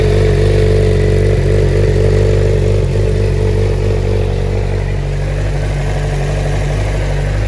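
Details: Stolen, recovered and fully rebuilt Suzuki GSX-R 600 inline-four, started after priming the fuel pump with clutch held: fires and settles into a steady even run with strong low rumble, no knocks or misses; normal running.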